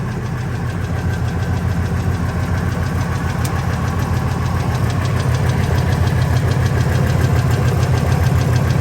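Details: Ford F250 V10 after header and injector installation: steady tick of roughly three per second over an even idle, tied to engine speed. The owner suspects a lash adjuster/lifter or rocker arm problem, but this is not confirmed.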